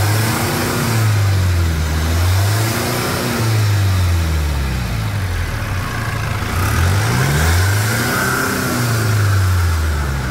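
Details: Chevrolet S10 diesel after repair of broken rocker arm in the cylinder head and engine leak: settles into steady even idle, then rises and falls smoothly through revs, no knocks or rattles; normal start, idle and rev.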